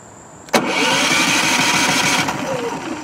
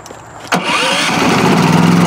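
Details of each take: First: Brand-new Westinghouse iGen4500 inverter generator, fuel on, efficiency mode off, push-button start: it catches with a burst, runs raggedly a couple of seconds, then dies. It fails to start and stay running. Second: New Westinghouse iGen4500 inverter generator, restarted after the choke was opened: a short crank, then it catches at once and settles into a smooth, even run; it starts right up, and the choke is then turned off.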